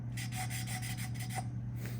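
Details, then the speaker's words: Honda CB360T engine rebuild, lapping a valve into its seat by hand: quick back-and-forth rubbing strokes have turned from gritty to light and smooth, so the seat is lapped in, though some pitting remains. "can hear that grittiness and it should change to a lighter sound they're changed to that lighter sound"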